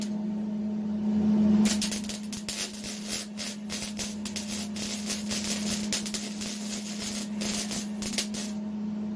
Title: Dirty MIG welding